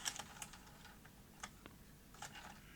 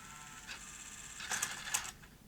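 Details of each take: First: 1989 Sony EVS-1000E Hi8 PCM recorder, Sony U-mechanism deck: with front panel refitted, quiet irregular clicks and short motor whirrs as the deck cycles erratically, lacing up with tape inserted; traced to a misfitted flex cable. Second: 1989 Sony EVS1000E Hi8 recorder with Sony U-mechanism deck, tested during repair: short motor whirr and crisp mechanical clicks as the cassette lifts out; normal tape eject.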